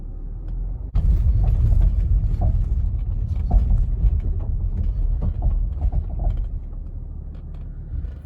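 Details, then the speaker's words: 2012 Range Rover Sport SDV6, about 145,000 km and nearly 11 years old, driven over a potholed road: dull low thumps through the rough-road rumble at each pothole, a front suspension knock; worn control arm bushings suspected, not confirmed. "Okay, so ultimately this is the noise that we're chasing and the one that we want to fix."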